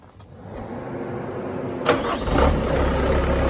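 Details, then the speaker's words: Bobcat Toolcat diesel with a small bucket: short crank, catches cleanly after about two seconds and settles into a steady, even idle; a healthy diesel start. "We're gonna start over here with the Bobcat Toolcat. It's got a little bucket on it. There's a diesel."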